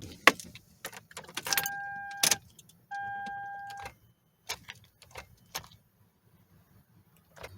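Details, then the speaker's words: 2011 Toyota Sienna, no crank no start, dash lights strong, jump from another battery didn't help: keys rattle and chimes ding twice but no click or cranking; starter suspected dead, tested before replacement. "absolutely nothing it's not trying to turn on or crank or anything like that and I see the lights and the instrument cluster are very strong"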